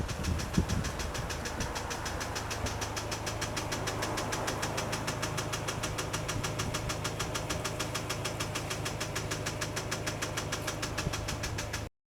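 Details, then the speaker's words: BMW N20 petrol engine idling with a loud, rapid, steady ticking over the engine hum; Valvetronic system fault codes, owner plans cylinder head replacement; valvetrain ticking suspected. "all right folks I hope you can hear the sound sound is really ticking a lot"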